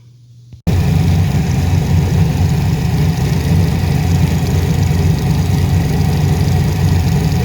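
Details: Tuned engine at idle after vacuum leak fixed, tuner suspects a misfire on bank 1; steady low idle with slightly uneven loping beat and no clear missing pulse, misfire unconfirmed, injector to be checked.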